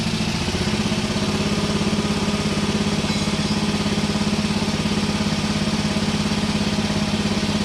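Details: Hinowa tracked minidumper with a small gasoline engine, reassembled after repair of a terrible noise suspected at the hydraulic pump-to-engine rubber coupling: it ticks over at an even, steady beat with no knocks or misses, running normally.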